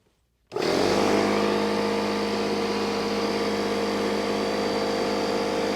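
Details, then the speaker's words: Loud shop air compressor kicks on while charging a resin-casting pressure pot to 40 psi: sharp start settling into a steady hum with even pumping chatter; compressor running normally. "i didn't want that compressor to kick on during the video because it's really loud"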